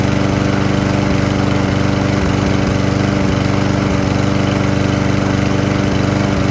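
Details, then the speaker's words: Single-cylinder lawn mower engine running on isopropyl alcohol, recorded next to the exhaust: a steady beat near idle with brief occasional hiccups, about 95% smooth with no smoke. "the only thing I can say is it doesn't run perfectly smoothly it runs like 95% smoothly there'll be like just a tiny hiccup here or there"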